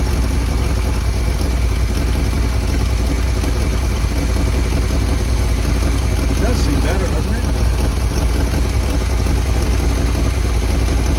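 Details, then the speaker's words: 1978 Chevy K20 4x4 Camper Special after 13 years sitting outside, restarted after cooling down to help free rings, extra transmission fluid added: starts readily into a deep, steady idle with even low rumble, no misses or knocks; normal idle. "now that's pretty amazing because it's been sitting long enough to cool down and it started like that"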